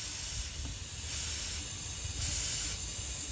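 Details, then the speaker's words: Audi 2.7T with code P1557, boost leak test using a PVC cap and regulator: a steady airy hiss swells as air is fed in. Air is escaping from the split bottom of the throttle body boot, felt by hand. "And you can hear a leak coming from the bottom of the throttle body boot. So the bottom of the throttle body boot is split open."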